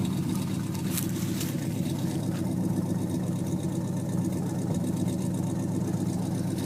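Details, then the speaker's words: 1950 Plymouth Deluxe four-door with a 350 V8, started on the first try in cold weather: deep, steady V8 burble at idle, smooth and even with no knocks or misses; normal idle. "pretty awesome that it starts up just on the first click trying to set this thing up on the ground let you hear it"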